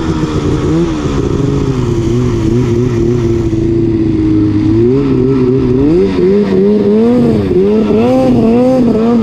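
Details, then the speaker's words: Arctic Cat two-stroke snowmobile on the trail after a loose belt was swapped for a spare; uneven surging revs that never settle; owner suspects primary clutch grabbing and holding the belt, not confirmed. "what's that it's holding that primary clutch is holding the belt"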